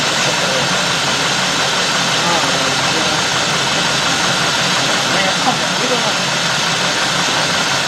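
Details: 2000–2005 GM 4.6 V8 (Cadillac DeVille class), already warmed up; complaint: runs rough and surges, multiple codes, running worse after parts removed. Loud hiss over uneven lumpy idle; vacuum leak, intake manifold gasket.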